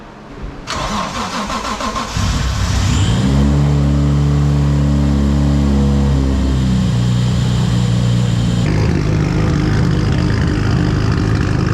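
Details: Right-hand-drive Mk3 Toyota Supra, twin-turbo 1JZ, sat 2 years, smoking and burning oil, one turbo said to be bad: starter whirr, then fast lumpy uneven idle; rough running from fouled plugs and flooding.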